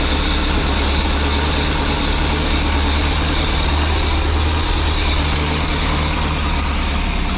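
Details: 23-foot Birchaven motorhome V8, Quadrajet carb, after 12 years stored, warming up, oil pressure good, less smoke, coolant leak owner suspects from heater hoses: steady, even low rumble, smooth exhaust beat, no knocks or misses; sounded pretty good, normal idle.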